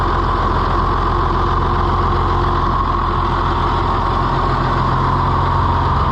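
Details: Oliver FWA tractor (one of a 1955/2255 pair) just started after servicing with new filter socks, with oil pressure good: a steady, even diesel chug at idle with no knocks or misses; normal idle.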